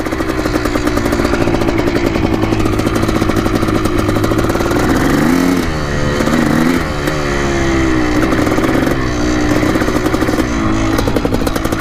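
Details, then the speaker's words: 1987 Yamaha YZ490 two-stroke after carb cleaning and fresh fuel, warmed about 6 minutes, riding test: ringing note rises and sags as the throttle opens, flat and hesitant instead of clearing out; bogging under throttle. "so it's pretty boggy for sure"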